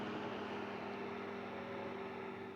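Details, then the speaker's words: Vintage Kenmore 124.8055 (Dyna Mimar) fan with failed speed coil replaced by triac control, full variable speed; smooth even motor hum, steady airflow rush, faint mains-pitch tone, no rubbing or rattle; slows sluggishly due to blade mass but stabilizes; normal running. "And the speed control, when you go to slow it down, is definitely not as responsive, because obviously we've got the mass of the blades and stuff to account for, but it does stabilize."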